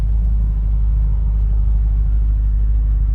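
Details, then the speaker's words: 1959 Cadillac DeVille V8 with new MSD 8.5 mm plug wires and multi-spark ignition, after rear axle O-ring seal replacement: deep even low rumble, steady smooth idle with no misses or knocks. "the results fueling it listen to this thing purr"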